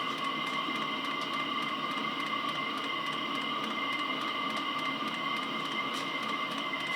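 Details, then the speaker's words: HCalorie Chinese diesel heater on homemade controller, first test, fuel mix containing petrol: steady whirring fan hum with even pump ticks about twice a second; outlet near 24 °C, burning and thermostat engaged, running normally. "now the thermostat's clicked in because it's happy it's producing heat"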